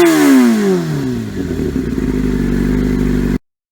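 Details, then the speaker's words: 2003 Yamaha YZF R6 after ignition coil fix (previously rough idle, no power under 8,000–10,000 rpm, sounded like a V-twin); exhaust still dented. Revs fall smoothly from high buzz to steady even idle, all four cylinders firing cleanly: normal idle and revving. "the bike sounds much better even though my exhaust is still dented in because I'm an idiot but that's besides the point overall she sounds good though"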